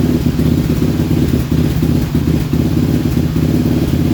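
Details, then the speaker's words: Raptor 700 ATV single-cylinder idle sagging and picking up every second or so, rpm reading erratic, sometimes dying, as damaged wire harness is pushed; broken harness wires with few strands left cutting out intermittently. "Alright, so you can see sometimes it would die, sometimes you could, as I was pushing on that harness, you can hear the idle go up and down, and on the RPM screen you can see that jumping around, very, very erratic and with irrational numbers."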